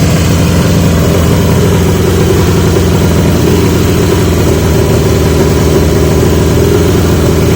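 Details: 1980 Yamaha XJ650 with new (old) pipes; loud, steady fast-ticking idle that never settles; idle screw backed off fully and not touching the plate, so carb throttle isn't closing; owner wonders if needle height.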